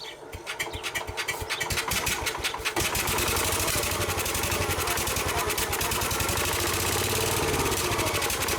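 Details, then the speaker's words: Case 222 lawn and garden tractor, sitting for years, half throttle with starting fluid: about three seconds of slow cranking, then fires and settles into a steady, slightly lumpy run. "Before we kill the battery completely, let's start put some starting fluid in it, see if that changes her mind at all."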